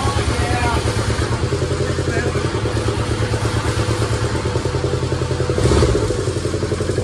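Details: Kubota T1600 diesel mower, 530 hours, first start in years: steady even two-cylinder diesel chug with firm low beat while being throttled, no knocks or misses; healthy, later warmed up without overheating.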